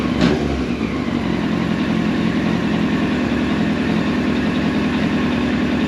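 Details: 1999 Yamaha R1 four-cylinder, engine rebuilt about 600 miles ago, hot after warm-up, during carb sync: after a quick throttle blip it settles into a smooth, even, steady idle with no hunting or misses. Carbs balanced. Normal idle.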